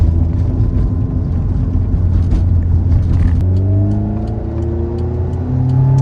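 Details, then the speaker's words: 1988 Honda CRX Si after its failed B16A transmission was replaced with a B18C Type R engine and transmission swap. It revs smoothly with no gearbox clicks or knocks, with only a slight shifter rattle. Normal transmission under drive. "But the transmission is working and sounding really nice."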